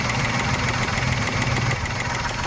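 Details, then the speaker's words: Maruti Suzuki WagonR petrol/CNG at idle on CNG, misfiring only on CNG with the check engine light on, air filter removed: a fast, light tak-tak ticking over the idle from a CNG injector, which stops when the number three injector is unplugged. "की आवाज आ रही टक टक टकटक टक टक कर एक आवाज आ रही है वो इसकी शायद से इंजेक्टर की आवाज है सीएनजी का इंजेक्टर का"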